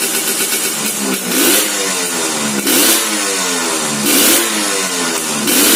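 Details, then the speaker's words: Restored Suzuki Satria 2-stroke underbone with porting, tuning judged okay, stock sprocket gearing too aggressive: crisp two-stroke crackle blipped about every 1.5 s, revs climb and drop cleanly; normal running. "Nah suaranya kurang lebih seperti itu eh untuk setelan nih Bisa dibilang sudah oke"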